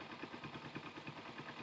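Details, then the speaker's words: Motorcycle carburetor idling steadily and evenly after adjusting the pilot jet (low-speed mixture) screw by ear on each carburetor. Leaning it dropped the idle, so the screw was backed out to the sweet spot; mixture sounds right. "probably a pretty sweet spot right there most of this has to be done by ear"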